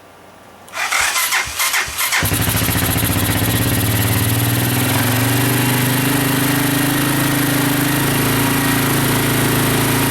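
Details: Honda 200SX field find, first start on carburetor with pressurized external gas tank, neutral, rear wheels up: a few cranking bursts then catches and settles into even steady idle, no misses or knocks; normal start and idle, sounds really good.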